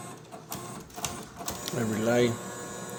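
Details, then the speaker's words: Creality 3D printer CFS filament unit after reboot: a short motor whir spinning up then stopping in a quiet room, the unit rotating backward repeatedly instead of feeding; cause unknown. "I just keep going rotate back. I'm going to stop over and over and over again with a stop."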